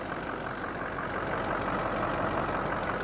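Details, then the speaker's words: Diesel truck with about 270,000 miles, fires right up and idles with a light, fairly regular tick about three per second over the clatter. Owner thinks it sounds like a glow plug, but the cause is unconfirmed. "Oh yeah, you hear a little bit of a, it almost sounds like a glow plug or something might even, doesn't really matter. She makes a little bit of noise."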